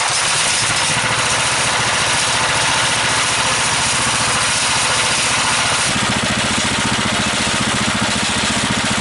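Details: DC generator engine under about a 4,000 W load at 1100 RPM (1300 maximum), output reading 141: a steady, fast drone with a harsh hissy edge that deepens as load comes on. The engine is labouring under heavy load.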